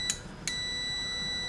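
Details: Airline 62-306 Teledial vintage radio on/off switch-volume control after cleaning with CRC electronic cleaner: two quick chirps, then a steady unbroken continuity beep while the control is rotated through; the intermittent switch contacts now make good continuity.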